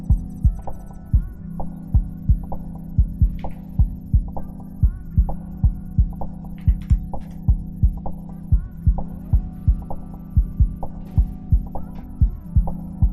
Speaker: Something sounds like it's binding on the printer. Oh yeah. Uh, ABS is tangled by the AM8.